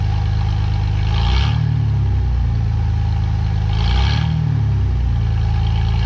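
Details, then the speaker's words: 2017 Ford F150 5.0 V8 after installing both catalytic converters and removing the air pump and return line: steady deep idle with two brief throttle blips, smooth and even, nothing knocking or ticking; running decent. "let's everything seems to be running decent"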